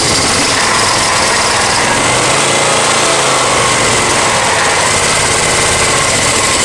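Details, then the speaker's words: Honda EX1000 generator after carb cleaning and idle screw adjustment: busy, rattly buzz at steady speed only at half choke, hinting the mixture is still off; output light solid. "one's at half choke. That's what it needs to at half choke. So something's still not quite right"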